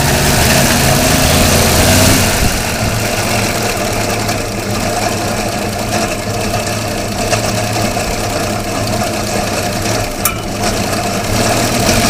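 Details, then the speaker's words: 1957 International truck after pulling the fuel pump apart and blowing out the fuel lines; it has popped a soft plug at the back of the head. Steady, even idle with a firm low beat and no misses: runs pretty good. "so now we got to fix that but we'll fire it up anyways fcker runs pretty good"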